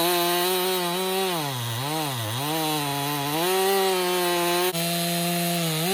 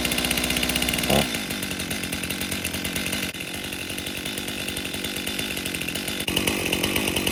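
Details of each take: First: 2018 Stihl MS261 M-Tronic construction saw, complaint hard starting and bogging when hot, after swapping bar and chain: high steady engine note dips under cut and recovers without stumbling; problem not replicated; normal cutting under load. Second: 2018 Stihl MS261 M-Tronic chainsaw, customer complaint boggy and hard to start when hot, tested cutting on a 95°F day: bogs and strains, revs dropping, chain so dull it won't pull through wood, possibly causing overheating.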